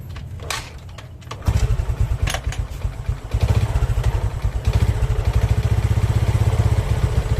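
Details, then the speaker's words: Old Honda Karisma motorcycle engine, never opened, with rough engine noise: uneven knocking pulses with the idle over a low rumble. Suspected connecting rod (bottom end), unconfirmed. "suaranya seperti itu ya teman-teman indikasinya sih suaranya nih di bagian stang"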